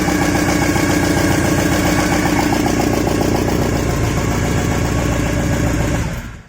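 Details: Porsche 944 first start after head gasket and cam belt replacement, belts not yet finally tensioned, exhaust flange rusted and disconnected underneath: loud, raw rasping blat at fast idle; exhaust leak at the parted flange.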